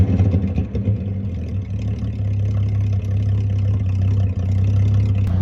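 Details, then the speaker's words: 1946 Hudson Super Six, low-end throttle: deep low rumble swelling as the throttle opens and settling into a steady even pull, no misses or knocks. Normal revving. "Now, I'm not sure what the best sound in the world is, but that sure is a contender."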